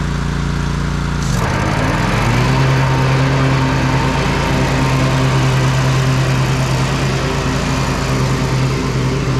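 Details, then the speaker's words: John Deere L130 riding mower after replacing the deck belt and pulleys: the single-cylinder engine catches and settles into a steady, even drone with no knocks or misses; the deck is still slightly noisy; normal running. "well that's going to do it for this one everything seemed to work fine on it"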